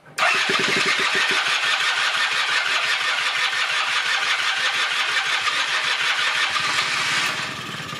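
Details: 1996 Rexy 50 two-stroke scooter, barn find, first start after 13 years, after a starting aid: brief cranking, then catches straight away into a steady, raspy, even buzz with no misses, running on tank fuel; normal running.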